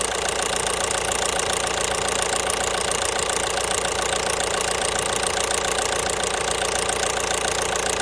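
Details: 1.5 BlueHDi (DV5RC) diesel at a rattly idle with sharp, regular tapping of about three to four per second; engine knock at idle, cause unknown.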